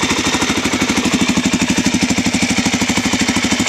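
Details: Suzuki DRZ400 single after engine swap, cold start around 25°F with choke on: steady, even thump of about three pulses a second, no knocks; normal idle.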